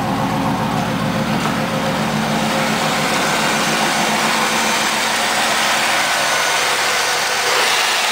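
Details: Firebird LT1 V8, under 100,000 miles, just jump-started after sitting 6 months with weak battery: steady, even idle with smooth low burble, no knocks, misses or hunting; normal idle.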